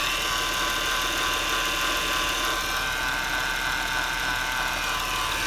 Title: Whine noise on a 2007 Acura TL